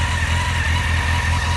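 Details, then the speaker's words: Honda CBR600F4i at idle after resealing the clutch cover: constant mid-pitched hum over engine pulses, unchanged by the work; the bearing still hums, clutch basket springs also suspected; humming noise at idle. "короче господа ничего не изменилось вот и следовало ожидать подшипник как гудел"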